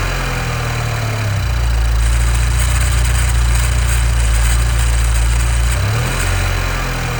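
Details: 2015 Nissan Juke Nismo RS, 112,000 miles, idling: faint fast static-like rattle over a steady low idle, first taken for a vacuum leak but everything is bolted down and it drives well; timing chain issue suspected, unconfirmed.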